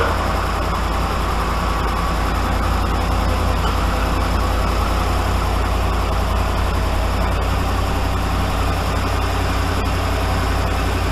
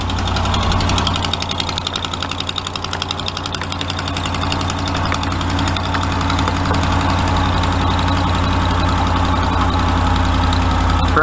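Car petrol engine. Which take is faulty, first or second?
second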